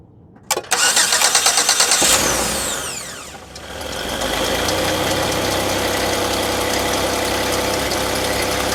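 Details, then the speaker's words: Car, battery just reconnected after the repair: brisk, even cranking for about a second and a half, then it catches at once and settles into a smooth, steady idle. A normal start after the repair. "that's why I didn't even turn off the camera because I felt very confident that that vehicle was going to start"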